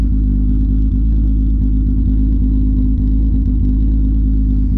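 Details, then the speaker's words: VR6: deep smooth even idle with steady low rumble, no knocks or misses; normal idle. "come on she's alive oh listen to that just such a beautiful beautiful sound"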